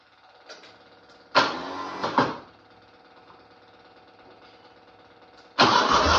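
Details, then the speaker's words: 1995 Cub Cadet Series 2000 hydrostatic tractor, after replacing the fuel pulse pump and fuel filter that had starved it of fuel: small single engine catches after a couple of tries and runs steadily with no misfire; problem fixed. "on yeah so that was definitely the problem it's running as you can [Music] hear uh I don't know if that fuel pump is going to wind up being too much or what but so far so good"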